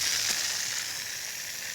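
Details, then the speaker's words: Drip irrigation main line, heard outdoors near bushes: steady high-pitched hiss with no low rumble, pressurized water escaping from another leak, suspected snapped-off line near a previously repaired compression coupling. "I'm hearing I'm hearing another leak somewhere I can hear it it's in here somewhere and I'll bet you another one is snapped off"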